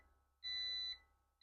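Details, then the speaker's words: Autobench hydraulic workshop car lift, lowering to the ground: even half-second beeps repeating about once a second in a quiet room, the lift's normal audio warning alarm during descent. "you can see the thing bleeping away [Music] there watch it come down ground like that it's down"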